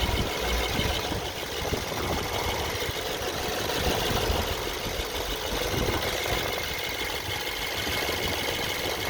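Engine idles with a faint rattly tapping that comes and goes over the idle hum; an intermittent knock at idle, cause unknown.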